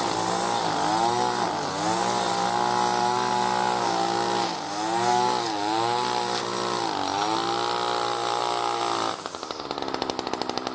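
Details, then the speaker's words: New B&Q 25cc petrol two-stroke strimmer cutting grass after a choke-assisted start with choke now open: a steady high buzz dips and recovers as it bites grass, running clean and pulling well. Healthy under cutting load. "Quick bash of some of this grass here around the dilapidated seat spring."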